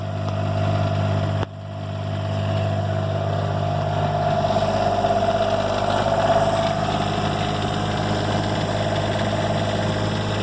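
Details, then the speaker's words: Diesel generator in 2004 Monaco Camelot motorhome, reinstalled and primed, preheat/glow plugs, repaired exhaust installed: after a short dip settles into smooth even idle, steady low drone, no knocks, pretty quiet; normal generator idle. "It's got this preheat and button where I think it primes it with fuel and heats the glow plugs, and then it starts after 20-30 seconds. Pretty quiet. Got my new exhaust, or my repaired exhaust all installed."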